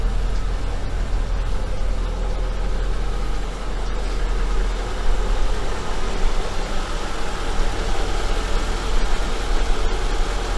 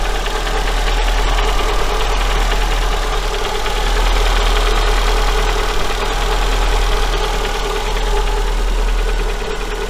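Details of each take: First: Engine after warranty capital rebuild for a knock (connecting rod bushing), warming up, not yet at operating temperature: smooth, even idle with a steady low hum and no tapping or knocking; runs quietly, healthy. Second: Daewoo Sens after engine overhaul, warm after about three minutes idle: faint even light tapping three to four per second, heard by stethoscope near cylinders 3 and 4; connecting rod small-end bushing knock.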